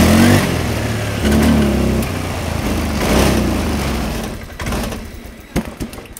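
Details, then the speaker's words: Motorcycle with no MIL blink code, parts already replaced but still stumbling: engine catches, then blips unevenly and stumbles as it dies away; misfire, cause unknown. "Tapi dengan kenyataannya apa namanya motor ini ya sudah kita ganti tapi tetap aja masih brebet, Guys, ya."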